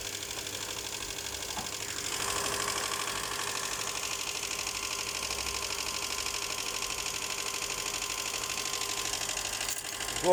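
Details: Honda Accord 7th generation at idle after start, hood open: fast, even ticking knock over a light engine hum, steady throughout; engine knock, source not pinned down, cause unconfirmed.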